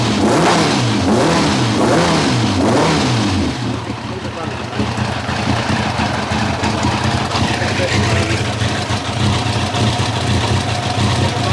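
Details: 1990 Kawasaki ZZR1100 running on three cylinders: uneven, lumpy idle with stumbles and spitting through blips; cylinder two ran cold and seemed to spit back through the carb; plug leads two and three were swapped to test; misfire, cause unconfirmed.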